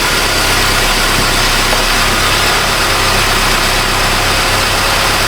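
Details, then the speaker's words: 2018 Honda Civic 2.0 with P0340/P0344 cam signal codes, cam sensors already replaced: loud steady hiss over smooth idle from a vacuum leak at the back of the intake, explaining an earlier vacuum leak code. "Oh! We got a vacuum leak. We got a sucker. So that's why we had that other code."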